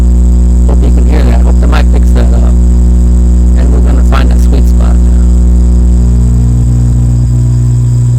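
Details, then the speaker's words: 1965 Silvertone Model 4236 tape recorder after restoration: loud steady buzzy low mains hum shifting in tone as the hum balance control is turned; seemed to rise at full turn, still hunting the sweet spot. "that sounds good like there I still got more to go here let's be keep turning it all the way to me it sounded like it went up what I need to do is hit that sweet spot right there"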